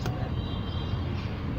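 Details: Car engine after installing a new belt tensioner pulley and drive belt: steady low hum with no squeal, chirp or grinding, tensioner now quiet and normal.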